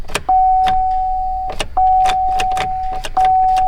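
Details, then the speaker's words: 2009 Chevrolet Silverado 5.3, key on, no crank in neutral: light irregular clicks under the hood about once every second or two, a relay chattering from a blown fuse. "here a little clicking under the hood like a relay or something of course we'll just try it neutral nothing"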